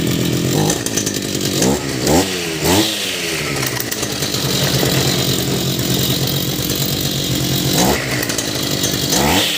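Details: Brush cutter two-stroke with a history of hard starting from flooding by stuck gasoline: the buzz revs up and falls back cleanly several times, then holds a steady high run, starting and running normally.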